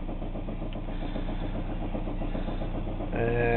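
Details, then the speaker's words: Spun rod bearing engine at normal operating temperature with no oil pressure: steady knock at idle, revved to about 1,200-1,700 rpm, slight smoke; rod knock, needs rebuild. "I'm going to bring it from an idle where you can hear the knock to about 1,500 to 18800 RPMs and you can see how bad it actually is"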